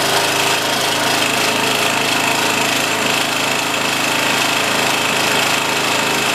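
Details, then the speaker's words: OHV Briggs & Stratton engine on a pump, reassembled after a broken mounting bracket left it held by one bolt: steady even high-speed buzz under constant load, no knocking or surging, slight remaining shake with a cover bolt still broken. "Let's give it a pull real slow the first time just to make sure, and then we'll start it up and see what happens. Everything seems fine. Just turn it on."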